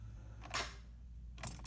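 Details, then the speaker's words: 2007 Jeep Grand Cherokee 5.7L Hemi with a new battery reading about 12.1 V: the key turn gives one sharp click and no cranking. Failed starter motor, fixed by fitting a replacement starter. "alright so I got this new starter here figured out that it was a bad starter has when my car wasn't starting"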